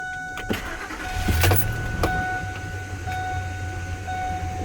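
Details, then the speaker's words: Truck at 226,000 miles after a post-flood oil change with 5W-30 (5 of 6 quarts) and a pre-filled filter: door chime, quick crank, then an even idle with no lifter clatter; normal cold start. "it started just fine, and because I added the oil into the oil filter, I primed it, you didn't hear that typical clitter clatter oil engine knocking sound that you would typically hear after you initially change the oil."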